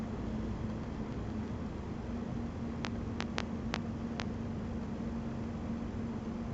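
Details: Asus Strix GTX 980 Ti under Unigine Valley benchmark load: faint steady high coil whine under fan hiss with five sharp crackling pops in a row; the whine is present even before the fans spin and at 60 FPS.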